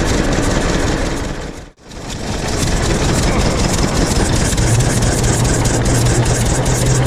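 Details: 1926 Hart-Parr 16-30 tractor engine running outdoors after its first start in over a decade (started by pony motor belted to PTO pulley); slow loping beat near 160 per minute, firing steadily; it runs and drives.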